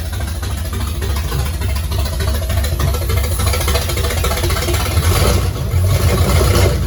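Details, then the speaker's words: 1969 Pontiac GTO barn find with TH400 transmission and 750cfm carb, first start in 17 years: deep, loping V8 idle with steady low rumble, no knocking or ticking; normal idle. "y'all heard it it runs it actually sounds like it runs pretty good"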